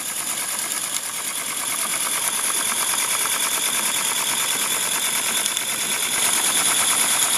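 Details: Mamod Quarry SM32 16mm live steam locomotive in steam, jacked up on blocks running forward at low regulator: light, crisp, evenly spaced chuffs about three per second; running super slow and smooth, normal.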